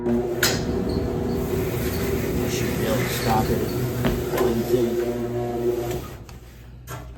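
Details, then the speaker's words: Old Samsung dryer running with clothes loaded: short squeaky chirps at uneven intervals over the drum's tumbling rumble; squeak heard before disassembly to diagnose, cause not yet found. "g there it goes they're squeaking sounds like the very either"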